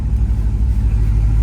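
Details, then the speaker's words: 1,000hp supercharged, 6-speed-swapped Driftcat after a brake booster swap: a steady deep engine rumble with no more hissing by the pedals. No abnormal supercharger bearing noise from this side of the motor, though there is a small knock the owner guesses is coupler bushings from the snout. "yeah so from this side of the motor when it's running can't hear anything crazy at the supercharger bearings or anything going bad"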